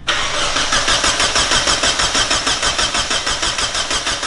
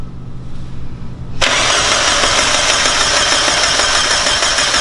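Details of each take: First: Mazda Miata first start, cranking on starter: even cranking about three turns a second, steady rhythm with no knocks or bumps; engine turns over cleanly. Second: Mazda Miata with a new engine, first start attempt: starter cranks evenly about three times a second and the engine never catches; no spark.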